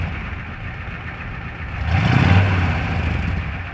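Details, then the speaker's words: 27-year-old 7.3 diesel truck, high mileage: catches, swells briefly, then settles into deep even rumble with no knocks or misses; runs great, normal diesel start and idle. "so as y'all can hear this thing's already a beast but I plan on doing a lot with it"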